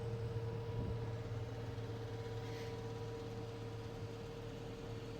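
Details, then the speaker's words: DIY jet-powered go-kart gas producer jet engine, after the starter spool-up and starting fuel, in its 30-second preheat before full spool-up: a quiet, steady mid-pitched hum over a soft rumble with no surges. Normal preheat. "After that 30 seconds, it's going to go ahead and spool up for a full"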